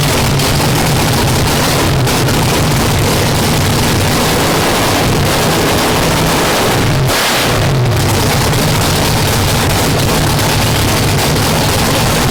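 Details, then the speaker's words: 959 cubic inch nitrous drag race V8 after new rods: loud, even roar with a brief dip in revs, running clean and steady with no knocks or misses; judged ready for the track. "We got it running and everything sounds good. I think it's ready."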